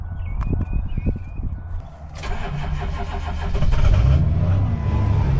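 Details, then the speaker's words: Truck with a 6.0 L diesel and two batteries, started with a portable jump starter: a few slow cranking beats, then it catches and settles into a steady, rough-edged diesel idle; a clean start. "there you go that's all she needed a little jump starter came in handy oh there you have it jump starter top Dawn comes in handy even for a diesel 60"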